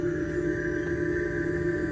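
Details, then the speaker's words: 2021 Jeep Wrangler 4xe plug-in hybrid pedestrian warning speaker, stopped in drive: steady low droning hum with a soft ocean-like whooshing wash rather than the higher-pitch tone; warning system working normally. "it's not the higher pitch noise it is the lower uh ocean sounding noise now i'm not really sure how this noise is supposed to warn people that you're coming"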